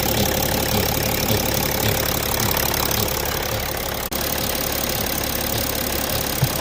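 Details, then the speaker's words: BMW X5 E70 idling with a soft, recurring cyclic pulsing of about four beats a second over the steady run; cyclic noise at idle, cause unknown. "hallo Youtuber hat einer von euch schon mal so ein Geräusch gehört ich hoffe man hört das ist immer so ein zykisches ja"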